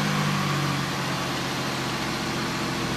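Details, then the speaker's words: Oldsmobile Silhouette van after tightening a loose rocker arm bolt that caused noise and misfire, no coolant yet: smooth even idle hum, steady low note, no top-end ticking; normal idle after repair. "Well, it's running better already. Oh yeah, that's 1,000,000 times better."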